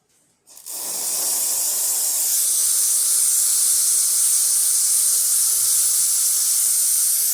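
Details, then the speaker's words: Profitec espresso machine after service, steam wand test: a strong, steady high hiss with no sputter or spitting; steam wand working properly. "That works perfect. That got deep cleaning too, and the hot water."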